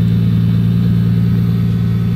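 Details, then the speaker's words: 1979 Toyota Celica Supra fuel-injected straight-six, under restoration, running smooth and even with a deep, steady exhaust note and no knocks or misses, only perhaps slight lifter/tappet noise; exhaust system still due for replacement. "And aside from maybe a little lifter noise or tappet noise, it sounds real good."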